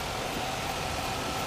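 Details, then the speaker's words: 2001 Chevrolet Silverado V8 after head gasket replacement, cold weather (~30–35°F), coolant still slightly low: steady even idle with smooth low rumble, no knocks, misses or ticks; some exhaust smoke expected to clear. "Oh guys look at that she's running perfect purrs like a kitten"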